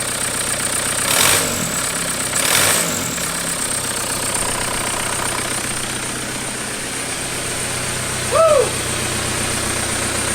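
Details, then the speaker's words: 1991 Toyota pickup with swapped 1.9 L ALH TDI turbo diesel from a 2000 VW Jetta, first start; pump timing and IQ not yet adjusted. Steady even idle clatter, a couple of brief early bumps, no misses or hunting; smooth and healthy. "dude I didn't think it would run that smooth"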